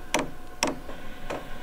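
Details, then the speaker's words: Chinese diesel air heater on first test after install: sharp single ticks about every half second in a quiet room. This is the dosing fuel pump clicking normally at startup while the heater still blows cold air. "it's not working at the minute the fuel pump's clicking but that's just blown cold"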